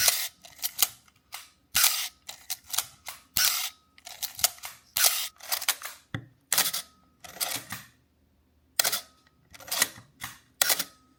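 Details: Canon AE-1 35mm film camera, after its shutter squeak was solved: crisp, dry shutter clicks in quick succession with no squeak, normal shutter operation.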